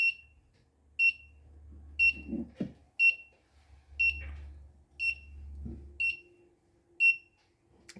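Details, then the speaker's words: Stovetop monitor built on a Particle Argon: sharp high beep about once a second over faint handling noise; over-temperature alarm buzzer still active because average temperature near the sensor hasn't fallen fast enough despite an ice pack. "so it appears that the buzzer isn't going to turn off as average temperature hasn't fallen as rapidly as i hoped"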